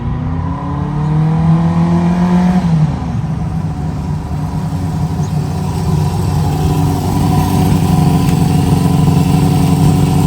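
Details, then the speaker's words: 1973 Harley Sportster V-twin, started on choke with Seafoam in the tank, idle turned back a little: catches, revs briefly, then a steady, even loping idle with no knocks or misses. Normal idle. "all right she's running pretty good I uh I like to start it up at least once a week now and run it"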